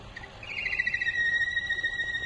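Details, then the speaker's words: Holden Astra 1.6L turbo LWC engine idling: loud steady high whistle from split PCV pressure-regulating valve diaphragm leaking vacuum; high or rough idle, possible stalling, check engine light, P0171 lean; noise may reduce with dipstick or oil cap loosened. "this noise is usually accompanied by a high or rough idle the engine may be stalling the engine check light may be on diagnostic trouble code P0171 fuel trim lean could be recorded"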